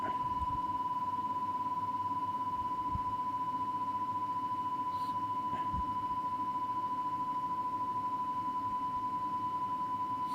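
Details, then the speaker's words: Cassette deck playing a 1 kHz test tape against a Rohde & Schwarz reference: tone swells and fades with a beat of about 3 Hz; tape speed slightly off while being adjusted toward zero beat. "that's moving further and further away you can hear the left hand going low-frequency we've got a beat now about three hurts"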